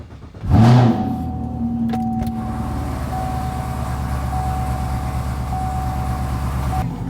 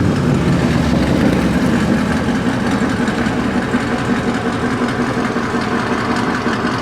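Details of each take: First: Camaro with a few mods and a check engine light, getting an O2 sensor and new battery: starts and settles into a steady idle with a faint metallic rattle over the hum; source unclear. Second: Car idling after O2 sensor replacement: steady, even low rumble with the earlier rattle no longer heard, problem seemingly fixed.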